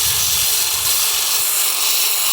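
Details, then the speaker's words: Stone polished on a Velcro pad at 50 grit to remove saw cut marks: steady, even hissing grind with no whine on top; the pad sits flat on the rock, showing good contact. "you hear that? It's that's a good contact."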